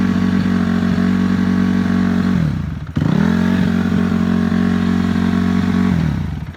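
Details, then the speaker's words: Cold 2006 Honda CRF250F at about 25°F, before teardown; crisp even engine note holding steady then dropping back twice smoothly, no misses or clatter, starts, runs and idles good. "I just wanted to fire this up so you can hear it run um bike is clean starts good runs 's good idle's good"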